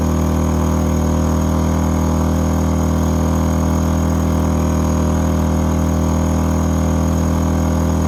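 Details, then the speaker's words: A-iPower SUA1500i 1500 W gas inverter generator running a heater after an overload trip, load switched between 1,200 and 500 watts: steady hum holding one pitch with no surging; normal running under load. "So I'm gonna just put it back down to 500 watts. You hear it change? Take it back up 1,200."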